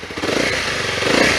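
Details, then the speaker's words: Used motorcycle in neutral after a quick start, given a couple of revs: picks up quickly with a crisp even buzz, no rattles or misfires; engine sounds perfect. "The engine sounds perfect."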